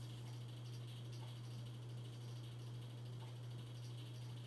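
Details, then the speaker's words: 42-inch Hampton Bay Landmark III Plus ceiling fan installed around 2011, on medium speed: steady low electric hum under soft airflow, louder than low and worsening toward high; fan motor buzz, slight wobble. "here's low probably you're the buzzing noise it makes but gets even worse on a medium and high high is its loudest speed all right here goes median starting to get louder now"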